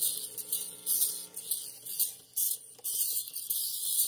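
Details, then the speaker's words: RCA Victor 45-EY-2 45 rpm record player after all capacitors were replaced: only a faint hum and a thin scratchy needle hiss, no music from the speaker even at full volume. A new cartridge later got it working. "okay well got the volume turned all the way up there's a still a hum i turn the volume down you can hear hear the music but it's not coming through the speaker"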